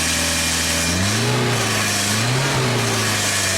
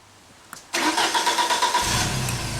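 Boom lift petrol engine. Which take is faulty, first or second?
first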